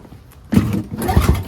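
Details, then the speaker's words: NOMA 4.5 21-inch single-stage two-stroke snowblower in mint condition, engine pulled over by hand while still dry before fueling: a few soft, even thumps, turning freely with no scraping or binding; normal hand cranking. "Oh, it turns over. See, to me, that is, it pulls freely, or cranks. Sounds good too."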